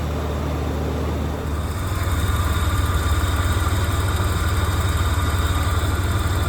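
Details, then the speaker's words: 1987 Ford Bronco II, first run after 15 years sitting, following a resistor wiring fix: an even, steady idle with a low regular pulse around 220 beats a minute, no knocks or misses. It is smoking heavily. "Hey, she's running. Doesn't sound actually too bad there."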